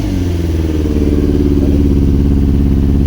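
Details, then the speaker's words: Yamaha R6 Valentino Rossi edition, four-cylinder, revving with a lumpy, uneven beat and stumbling: it won't reach higher RPM and misfires heavily, and a spark plug check finds one cylinder dead (dry plug). "ಈ ಗಾಡಿಯಲ್ಲಿ ಏನು ತೊಂದರೆ ಅಂದ್ರೆ higher RPM ಹೋಗ್ತಾ ಇಲ್ಲ ಸಿಕ್ಕಾಪಟ್ಟೆ missing missing ಅಂದ್ರೆ ಕೇಳಕ್ಕೆ ಹೋಗ್ಬಿಡ್ರಿ ಅಷ್ಟೊಂದು ಮಿಸ್ಸಿಂಗ್"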